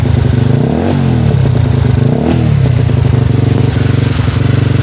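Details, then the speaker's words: Rouser 135 single-cylinder motorcycle just after clutch lining replacement, in heavy rain: two quick clean throttle blips, strong and healthy; feels strong with new lining; cable stiff, not returning, needs replacing; normal revving. "Ramdam ko na malakas siya kasi bago yung kanyang lining."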